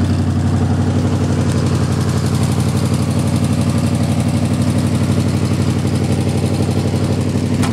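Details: Jeep M715 army truck converted from fuel injection to carburetor: steady, even idle pulsing about four times a second with low throaty rumble, no knocks or misses; normal idle.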